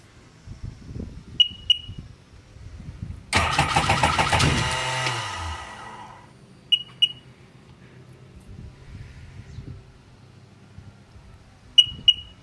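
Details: 2002 Sea-Doo GTX 4-TEC, 48 hours, SBT rebuilt engine, no codes: about two seconds of cranking with beeps, no start. It later started after the ECU was replaced and the keys reprogrammed.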